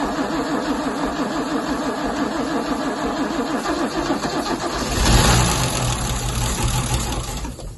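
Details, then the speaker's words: MGC 3.0 straight six garaged about 33 years, carbs rebuilt, choke set manually: steady rhythmic cranking churn, then a surge as the engine catches and begins to fire on its first start in about 33 years. "Right, the choke wasn't, choke's not connected. I'll put it manually."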